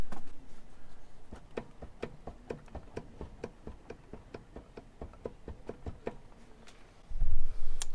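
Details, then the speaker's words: Jeep TJ rear wheel spun by hand gives a dry clicking that repeats a few times a second and slows with the wheel. The wheel shows visible up-and-down play: a bad rear wheel bearing. "so if you guys listen to this one that's what a bad wheel bearing sounds like and you can see the up and down movement it's very apparent"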